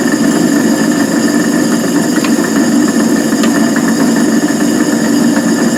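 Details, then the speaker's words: Van Wert coal stoker on Gentleman Janitor JG5 boiler, running pea-size anthracite after six days: steady grinding drone with irregular ticks over the drive; noisy gearbox. "here's some uh video of the stoker running and the not very good noise that the gearbox is making but it'll uh it'll it'll keep going for another month like that I hope"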